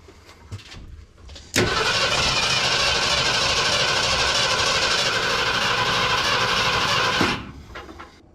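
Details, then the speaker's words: 1972 Ford F100 with FE 360 V8, start attempt, hooked to remote starter, fuel poured into carb bowl; steady cranking about six seconds, even chug, never catches — crank no start, fuel starvation. "it's not pulling anything from the bowl from the sounds of it unless the bowl is just so empty"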